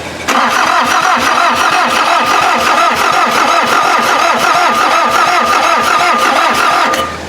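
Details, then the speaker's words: VW diesel (Mazda offroad build) cranked: long steady fast cranking about three beats a second, never catches; injection pump drained of fuel after removal eight months ago, needs bleeding, starting to spit at bottom two lines; starter getting hot. "so I guess it just needs a lot of cranking because this this pump did drain out of fuel when I pulled it off of that block eight months ago or so"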